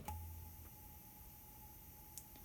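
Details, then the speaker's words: Mixer channel 1 has its head-amp gain set too high, with the mic live in a deliberate feedback setup. On unmuting there is a faint steady hiss and a thin high ring, right on the verge of feeding back but stable. This is channel hiss near feedback. "So it's right on the verge of feeding back. It's right there. Stable enough. You can hear the hiss for sure."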